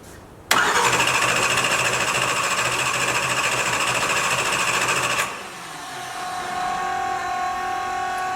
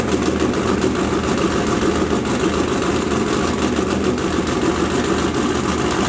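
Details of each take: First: 572ci 481X race engine in about 40° weather, cranking: steady, fast starter churning with no firing. It won't start because there is no spark; the MSD 600 was probably left unplugged, so the coils likely had no power. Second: 572ci 481X race engine after the MSD ignition was reconnected: it fires and settles into a loud, even, heavy V8 rumble with no skipping or stumbling. All cylinders are firing cleanly.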